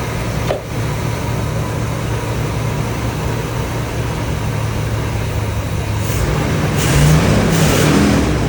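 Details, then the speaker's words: 1978 Chevy Corvette V8, last on road 2012, 50 psi oil pressure, at idle: slightly uneven, lumpy beat; misfire suspected from one or two spark plugs or a plug wire, no internal tapping heard. "I do hear a misfire. One of the plugs, maybe a couple, or a spark plug wire might be faulting and creating a imbalance in the motor. I can feel it."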